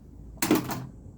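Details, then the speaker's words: South Park pinball machine with no working solenoids, in solenoid test mode: one sharp clean mechanical clack as a coil fires and releases; solenoids are working in test. "Anyway, as you can hear in solenoid test, things are working."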